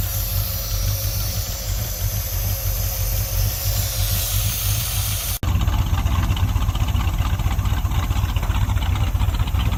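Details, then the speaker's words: 1972 Chevy C10 crate 350 V8 that had sat for 8+ years, first run with a new coil. Even, slightly loping deep idle with no knocking or lifter tick and no smoke; a healthy normal idle with a mild cam. "no knocking no smoke man it just fired right up lifters not making any racket sound like it's got a cam I'm excited about that"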